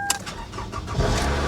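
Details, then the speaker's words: Walk-around of a salvage-auction vehicle, suspected fuel-system issue. Four-cylinder engine cranks quickly, catches and settles straight into an even idle with no stumble; only a TPMS light on the dash. Normal start. "that's a four banger yeah sounds like four cylinder"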